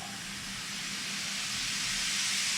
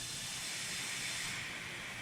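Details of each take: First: Nissan 300ZX twin turbo boost leak test, engine off, piping pressurized to about 20, with the blow-off valve vacuum reference disconnected: a steady sharp hiss rising slightly as pressure overcomes the diaphragm. Normal venting, and the only leak found. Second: Nissan 300ZX twin turbo, engine off, intake pressurised for a boost leak test with the fuel pressure regulator disconnected; owner had turbo lag. Steady high-pitched hiss of escaping air near the idle air control valve at the rear of the intake.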